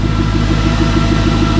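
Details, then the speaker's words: Mercedes C63 AMG V8, microphone placed low by the car: start that is not fully cold, since the engine is slightly warm from earlier running. It settles into a deep, steady burble with an even beat and no ticks or misses, a healthy idle. "Such a nice, like, you know, V8 little rumble to it. I love it."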